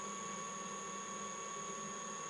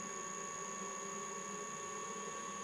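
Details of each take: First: Mikini 1610L milling machine retrofitted with a 2 hp AC inverter-duty motor on a Hitachi sensorless vector VFD, run at low frequency: thin steady whine over quiet hum, likely a frequency artifact that smooths out at higher speed. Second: Mikini 1610L mill's new 2 hp AC inverter-duty motor on a Hitachi sensorless vector VFD, run at higher frequency below full speed: quiet steady hum and even whir, no roughness or pulsing; runs smooth.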